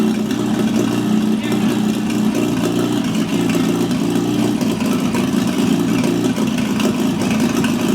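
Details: GAZ-69 first drive after rebuilt engine, gearbox and transfer case: steady, even engine note with no knocks, misses or rattles over eight seconds; old petrol four healthy at idle.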